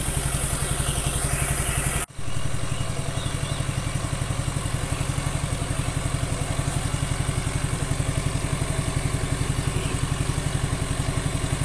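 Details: Suzuki Nex II after replacing worn left camshaft bearing that caused rough grok-grok engine noise: even regular putter at steady idle, no grinding or knocking; normal idle.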